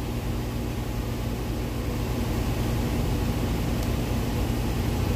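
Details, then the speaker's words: 1989 Chevy 3500 with a 454 big block, after a tune-up and cooling overhaul and fixing loose flex plate bolts: a steady, even low rumble at fast idle beginning to idle down, with no knock or misses. "Sounds like it's starting to idle down"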